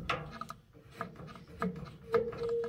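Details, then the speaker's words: Late-1960s Hoover washing machine from an abandoned farmhouse, just plugged in, controls turned: quiet clicks and rubbing with light ratcheting as the mechanically shaft-driven drain valve turns; drain valve operates normally. "can hear that valve turning down in that drain."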